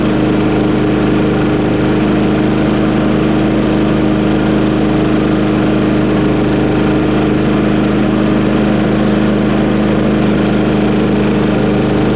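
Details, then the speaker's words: Mower shortly after a cold start, choke opened within 30 seconds: steady, unbroken drone at constant speed with no surging, hunting or misfire. Runs cleanly. "See, that was fast. That was less than 30 seconds before it heated up and started to open. Oh well, works fine now."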